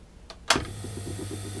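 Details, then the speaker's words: Capacitor start induction motor, long unused, bench test: sharp switch-on thump, then quick spin-up within a fraction of a second to steady even hum; slight vibration on table, healthy start. "quick start which is what you want the motors like this it's got it but there's a bit of vibration off of her I can feel on the table but other than that it's actually working nicely"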